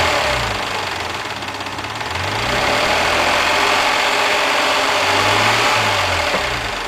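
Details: Mazda MX-3 engine warmed to normal operating temperature, idling: light, uneven clatter over a hissy background; owner asks what the noise and problem are, cause unclear.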